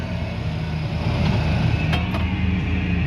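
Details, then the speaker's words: Square-body Chevy Blazer/GMC Jimmy (1973-1991) rear tailgate power window after cable replacement, engine running: steady motor whir rising smoothly, no binding or grinding; regulator works normally. "Okay, go ahead and start up the truck, and let's just watch this thing go up and down one time."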